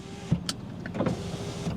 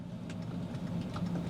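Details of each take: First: BMW 5 Series: quiet, steady window motor hum with a soft thunk at end of travel, a working window; offside rear window does not work. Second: BMW 5 Series at idle with the offside rear window not moving: quick uneven clicks come from the glove box area, suspected to be a relay clicking; the cause is not confirmed.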